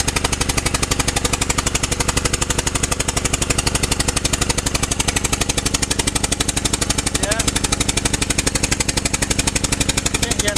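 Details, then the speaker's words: 2007 first-generation Honda Pilot at idle after a bang off a ramp, check engine light with bank 1 sensor 1 O2 open circuit: even popping about four a second like a lawnmower; misfire from a popped-out ignition coil/spark plug. "so now the engine sounds like this sounds like a lawnmower right"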